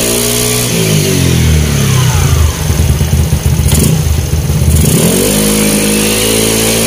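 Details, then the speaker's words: Yamaha Mio Sporty scooter after full CVT upgrade with straight JBT parts: idles, revs up smoothly and drops back to steady idle, no slipping, rattle or grinding from the drive. "Tinesting ko sa labas, ganda umatak ng motor ko, okay na."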